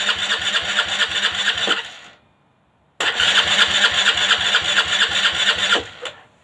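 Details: Aprilia Leonardo 125 scooter after a long time without starting: two long bursts of fast, even starter churning, about two beats a second, no catch or pickup; cranks but won't fire.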